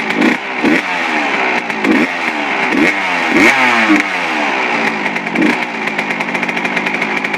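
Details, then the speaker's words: Suzuki RM125 two-stroke after complete engine rebuild with crank seals, carb at factory stock settings (air screw 1.5 turns out): crisp revs climb and drop cleanly on sharp throttle blips, steady ring-ding idle; normal running. "i'm pretty stoked i mean this i haven't got this thing running good in a really long time"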